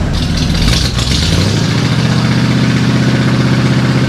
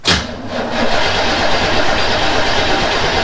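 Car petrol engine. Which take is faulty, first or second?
second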